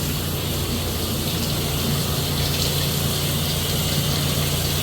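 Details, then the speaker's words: Concession trailer water pump, switched on and activating only when the tap is opened. Steady, even low hum under rushing water from the open cold tap: the pump is working normally. "As you can hear it humming, so we know the water pump is working."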